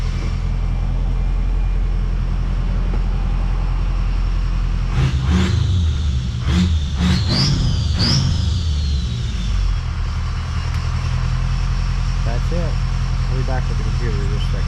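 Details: Ford 6.0 Power Stroke diesel with a number 6 injector low-circuit code, idling: steady deep idle with an even beat and no miss; a light belt chirp comes and goes, belt squeaking since antifreeze was dropped on it.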